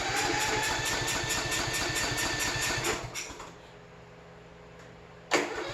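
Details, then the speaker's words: 2007 Troy-Bilt riding mower single-cylinder after fuel filter change, fuel overflowing from carburetor, choke off: chugs unevenly about three seconds then dies; won't stay running, fuel delivery problem. "okay so we have a fuel delivery problem obviously"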